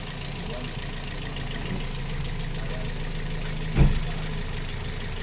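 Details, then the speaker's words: Toyota Vios petrol engine at idle, running temporarily on an old belt after a wrong-size compressor pulley kept destroying belts: a smooth, steady low hum with the earlier knocking gone. Normal idle. "Sir ano sa tingin mo sir may nawala bang tulog wala na yung tuktok totan na yung ito na yung tunog niya o ' ba yan na yung normal na tunog niya sir"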